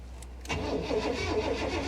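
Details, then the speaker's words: 1985 Honda Prelude at salvage auction, on booster pack: starter turns engine over at steady even rhythm but never fires; crank no start, probably no gas. "come on old girl give her a minute here she's probably got no gas"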